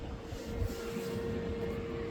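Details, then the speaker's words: 2026 Can-Am Outlander electric ATV, hot after a ride, with the coolant temperature warning triggered for the first time: a steady mid-pitched hum holds constant over a soft rushing background; the radiator fan is cooling the hot coolant. "So, the quad's not broken, but I did manage to make the temperature sensor come on and the fan turn on, which is the first time ever I've done that."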